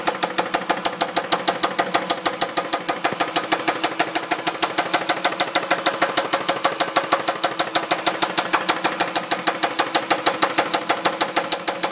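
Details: 2002 Dodge Intrepid R/T 3.5, 60,000 miles, sudden sharp metallic knock about twice a second at idle, like loud rocker noise; unchanged after new rocker shaft assemblies, timing belt and water pump; rod bearings to be checked next, cause unknown.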